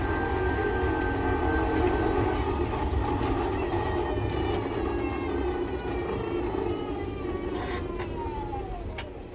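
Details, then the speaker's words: Electric three-wheel camper van after climbing the Qinling mountains: a rough grinding drone with a thin whine that falls as speed drops, new since the climb; something rubbing, a worn bearing suspected but unconfirmed. "因为前2天爬秦岭的时候，不知道是哪里磨的那种异响。兄弟们，你们听咱那个车是什么声音啊？我以前从来没有过这种声音，就感觉哪里磨到了一样，磨"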